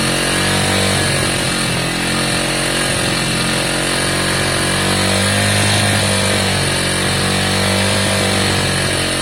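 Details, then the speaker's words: Lexmoto Valiant 125 converted from EFI to carburettor: raspy single revved hard with pitch slow to drop and wavering, hanging on its revs and not smooth; carb out of tune, original jet to be refitted. "Alright, I'm going to let you hear how beastly this is, but at the moment it's not smooth. It's hanging on its revs, etc."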